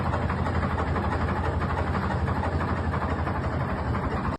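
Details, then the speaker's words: Detroit Diesel 4-53 two-stroke in a Wagner W4, barely running when unloaded: deep, lumpy idle far slower than normal with uneven firing pulses; suspected tripped emergency shutdown cut air supply, not confirmed. "So this is the actual footage of them unloading the Wagner, barely running. I've never heard a two-stroke Detroit run this slowly."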